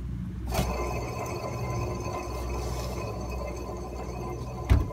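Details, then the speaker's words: Nissan X-Trail T31 MR20DD with snapped timing chain, engine running: steady rough whir with thin whine over idle hum; water pump noisy and AC compressor bearing suspected very noisy, previously masked by chain knock. "вот послушайте помпу помпа шумит подшипник компрессора просто жуть как шумит"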